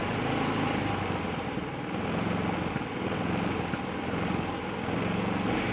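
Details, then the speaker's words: Predator 3500 generator about three years old, started cold on one pull, on automatic choke with no load at 123 volts, switched to eco throttle; speed swells and sags every second or two; hunting, owner suspects choke. "it's still oscillating a little bit i don't know if that's a choke hunt it probably is but it doesn't sound like it's going to stall it"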